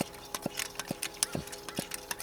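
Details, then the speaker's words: Coleman white gas camp stove being pumped to pressurize the fuel tank: soft pops, roughly one per quick pump stroke, with no hiss of escaping air; the pump check valve is seating and charging normally. "You can hear that little popping sound. That means the valve for charging the stove is working."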